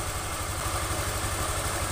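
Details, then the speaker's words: 2021 Honda Scoopy FI scooter with a Genio-generation engine at idle: a coarse, deep rumble from the middle crankcase under the exhaust note, caused by a damaged crankshaft bearing; the magneto side was checked and is fine. "Honda Scoopy FI generasi mesin Genio di mana bagian mesin suaranya itu kasar ini untuk analisa di bagian kanan"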